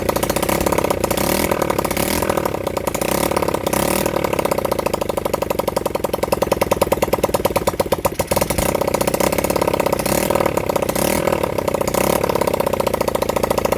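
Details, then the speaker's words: Honda CB100N first start in over 20 years, on a flat battery: small single pops along in quick, regular beats, rising and falling with throttle blips, no misses; it runs. "Okay, I don't know why I've never revved up something chronic, but it's a runner."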